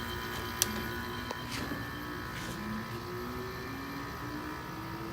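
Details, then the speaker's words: Window air conditioner with rotary compressor on middle fan speed, fan bearings slightly bad; rough buzzy hum with tone slowly stepping up and a few clicks, compressor loud and slow to build pressure. "It's a piece of junk in the rotary. It takes time. The rotary is loud."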